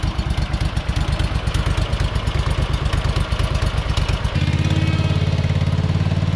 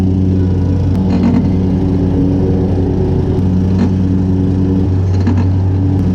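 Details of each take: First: Hustler Super Z mower, Kawasaki engine with 1900 hard hours, test run after rebuilding the 66-inch deck with new components (blades previously hit each other): even, steady engine beat settling smoothly as load changes, no grinding or blade strike; normal running. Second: Hustler Super Z 66-inch mower deck, close to 2,000 hours, engine running; intermittent harsh scraping bursts as center and another blade strike each other — cause unconfirmed, possibly bent spindle.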